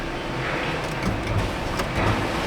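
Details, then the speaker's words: 2018 Chevy Silverado 1500 rear sliding window after the missing 10 A rear-window fuse was replaced. Short, steady electric motor whir running smoothly through its travel with no straining or clicking; the sliding window works normally. "Window works."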